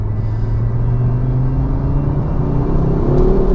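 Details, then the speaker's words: Ford Focus RS accelerating warm after a blocked catalytic converter was fixed, now boosting to three-quarters on the gauge instead of a quarter: deep throaty growl with a pop, even and strong, no rattle or misfire. "i don't know if you heard the pop there it's definitely got a throatier growl to it"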